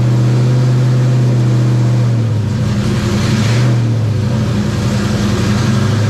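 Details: Terry Labonte #94 Oldsmobile V8 after replacing bad plugs (one cracked porcelain, one near-zero gap) and bad wires: strong, even drone holding steady, then a smooth blip in revs and settling back, running cleanly with no misfire.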